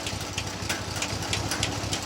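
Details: 1965 Chevy C10 small-block at idle, just after a fuel pump swap: sharp light ticks, about five or six a second, over a steady idle; a persistent top-end tap of unknown cause.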